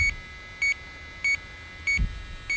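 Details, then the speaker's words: LD Prowler 5000 electrochemical refrigerant leak detector: sharp, steady high beeps about every 0.6 s as the probe pinpoints a refrigerant leak at the centre of the bottom of a coil. "It's pinpointing that leak right there. There it is. There it is. Right there."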